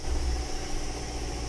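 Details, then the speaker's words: Mazda CX-7 2.3 L engine at warm idle right after timing was set and the engine reassembled: smooth, even, steady low hum with no rattle or ticking; normal idle. "se pueden escuchar se escucha parejita no se escucha ningún matraqueo absolutamente nada se escucha genial"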